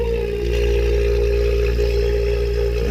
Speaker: and you can hear the vacuum pump screaming so not going to let the camera run the whole time we're pulling a vacuum